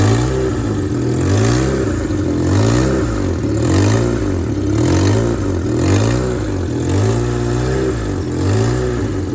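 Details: Engine revved in quick repeated pulls, with a raspy puffing that swells on each rise from an exhaust manifold gasket leak; quieter at idle, worst in gear under acceleration.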